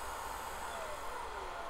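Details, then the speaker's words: Unimat SL-1000 lathe with an upgraded 150 W DC motor and PWM controller, running counterclockwise at full speed with the cooling fan kicked on: steady high-pitched whine with an airy fan hiss. Normal high-speed running. "alright counterclockwise we're going super fast you hear the fan kick on"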